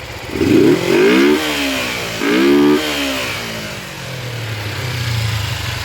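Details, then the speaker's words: 1986 Kawasaki 250R Ninja after new carburetors and parts, post parking-lot ride: twin blips up cleanly twice then steady even idle, no misfire or clatter; running healthy. "I took it around the parking lot. This little sucker runs pretty good now."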